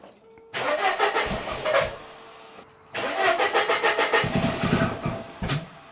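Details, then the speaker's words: 1994 Mercedes W202 C180 after reseating a coil pack: two start attempts where it catches with uneven stumbling beats of about three per second, then sags and dies; a misfire that won't hold idle. "So, why is it not holding the idle then? Because it's misfiring. That's what it is."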